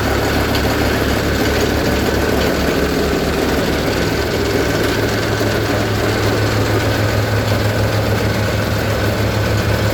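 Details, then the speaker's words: Cold diesel tractor (Onan/Perkins) started after manual glow plug preheat on a mid-20s °F morning: steady low chug with a slightly rough, uneven beat, settling as it runs. Normal cold-start warm-up. "you all hear the tone difference in person once warms up the first stage gets a lot smoother and then the second stage really spools out and that's usually after about a minute or so"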